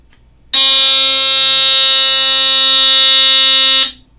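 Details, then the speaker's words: GE 12.6-volt battery-powered ionization smoke alarm from the 1970s: its black electromechanical buzzer sounder gives a harsh, steady, very loud buzz for about three seconds, then stops; a working alarm sounder. "As you can see, it's got the black sounder in there, the electromechanical buzzer, and this is what it sounds like."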